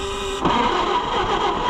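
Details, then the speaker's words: Oliver 550 tractor: engine catches after cranking then runs ragged, flooded badly, and has a miss; flooded engine. "Flooded bad. Not running very good. That was my fault."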